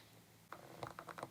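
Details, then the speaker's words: Sigma 18-35mm f/1.8 lens (2013) autofocus motor in a quiet room: quick run of soft creaks and ticks, a loud but normal focus motor noise, louder than STM lenses. "utofocus motor inside the lens so if you're going to be using this to vlog with you want to be really careful because the autofocus motor is really really loud on the kit lens"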